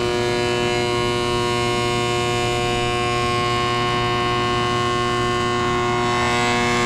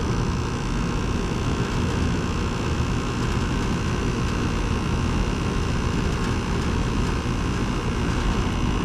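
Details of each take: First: Carrier GasPack that isn't heating, furnace side: loud, steady, siren-like hum with several strong tones and no clean airflow sound, pointing to a failing inducer motor. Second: 2010 Carrier GasPack rooftop unit (14 years old), cooling mode on a 64-degree day after finding the no-heat cause; pressures checked, well above freezing; even unbroken hum and fan rush with no knocks, rattles or squeal: air conditioning working normally.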